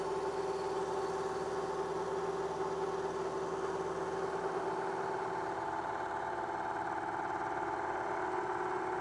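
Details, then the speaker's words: Milling chatter: steady ringing mid-pitched squeal with fast buzzing texture as a 3/4 inch solid carbide endmill cuts pre-hardened D2 steel (about Rockwell C20) squared in the vise; deflection suspected from the whole machine rather than the endmill. "And still there's deflection. I don't know, probably not the endmill deflecting as much as the whole rest of the machine."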